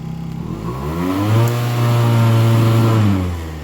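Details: Aprilia SR50R Piaggio DiTech scooter after a throttle position sensor reset, held at full throttle: a smooth rise to a steady high rev that holds without dropping to idle or stalling, then falls back; normal revving.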